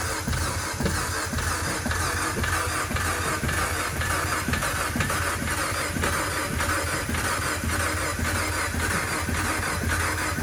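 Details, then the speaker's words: 2015 Fiat Abarth towed in after driving through a large puddle, water suspected in the turbo: starter churns steadily for ten seconds but it never fires; cranks, no start, cause not confirmed. "all right it goes nothing like it's about to start"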